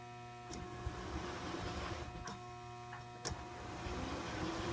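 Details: American Flyer 326 Hudson with air chime whistle running on the layout with a 30B transformer: a steady low electrical hum with three or four short clicks as the reverse unit cycles. Transformer and reverse unit sound normal.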